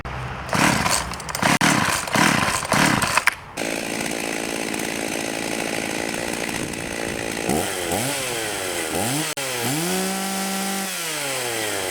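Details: 1989 Husqvarna 50 chainsaw, sat years with old gas, after carb clean, first start in years, choke off: catches after a few pulls, revs up and down cleanly, settles to a steady, even two-stroke note; healthy.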